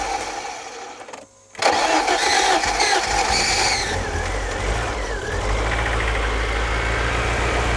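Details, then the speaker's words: Barn-find BMW E30 off road 15 years, last started 10 years ago, after priming fuel so fuel now sprays: short crank, catches cleanly, revs briefly, settles to steady even idle without misfire; runs fine, just needs a service. "ten years runs all right just need the service and she will be good"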